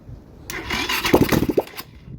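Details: Lifan KP Mini 150 frame swapped with a ZS175FMN 300cc 4-valve engine, exhaust not yet fitted; short, uneven cranking with a few chuffs but it never catches. The owner says it just needs gas. Crank no-start.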